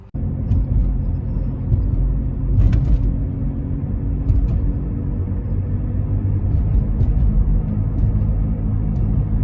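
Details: Volvo V50 T5 while driving: a low, droning growl under road rumble swells as the car loads onto the outside tire when cornering. The owner identifies it as a wheel bearing growl.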